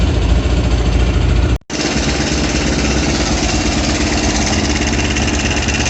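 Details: Kovi Pro KT, zs177mm single-cylinder, after a new timing chain fixed a knock: after a brief dropout, a steady, even idle with no heavy knock or rattle, a healthy engine.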